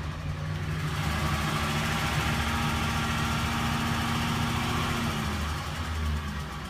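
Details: Ford Triton 5.4L V8 with VCT, ticking near driver-side valve cover: uneven idle with light tick three to four beats a second; failed ignition coils caused misfire, ECU altered timing; fixed by replacing all 8 coils and spark plugs.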